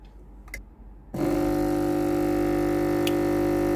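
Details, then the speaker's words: Philips GC9550 steam generator iron, after repair (thermal fuse replaced; boiler was not heating, no steam): click, then steady low electric hum as the water pump runs normally, refilling the boiler; unit ready to use. "ตอนนี้ได้ยินเสียงปั๊มน้ำทำงานเลยนะครับตอนนี้เครื่องพร้อมใช้งานแล้วนะครับ"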